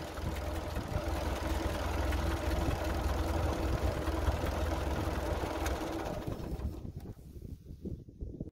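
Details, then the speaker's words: Ford 8N tractor flathead four-cylinder after replacing melted spark plug wires that had caused a misfire: a steady, even putter with no skips or stumbles before shutdown, a normal healthy idle. "just like that a few minutes and now she's ready to go brush hog or fill up the garden or whatever i need to do with it"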